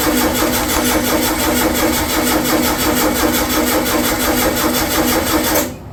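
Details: Freshly rebuilt VW air-cooled 40HP engine, first start attempt: steady starter churn about three beats a second that never catches, then stops; cranks but won't fire, a bad fuel pump not sucking fuel suspected, not confirmed.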